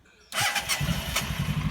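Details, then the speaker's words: 1995 Honda Pan European ST1100 with new timing belt and period stainless exhausts, rear wheel off the ground: starter catches at once, settles into an even, steady, not overly noisy idle with no knocks or rattles; healthy start. "So as you can hear, it sounds lovely. It's not overly noisy, purrs beautifully."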